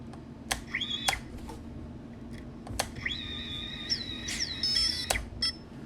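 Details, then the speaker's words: Tiny whoop FPV drone, after the ESCs were reflashed and the original motors resoldered: high chirps and a few clicks, but one motor never spins up. Owner thinks the ESC is dead. "Okay, either this motor's dead or that ESC is dead. Time to try another motor again. Okay, I think it's a dead ESC."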